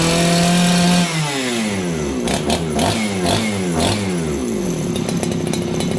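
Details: Farmertec 288 kit chainsaw with aftermarket carb, high jet 2 full turns out, low tune fine: at full throttle it screams, then drops into heavy, uneven rich four-stroking instead of cleaning out. The carb is suspected; an OEM carb is next.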